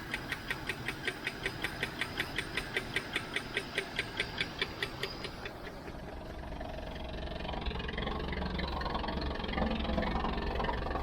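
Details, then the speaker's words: 1978 Chevy El Camino SS, one owner, sat about 20 years, first start with a little gas and some lifter noise: uneven metallic bangs two or three a second over a rough idle, fading; exhaust banging, muffler or tailpipe suspected. "somebody's banging down here Muffler tailpipe or something still running"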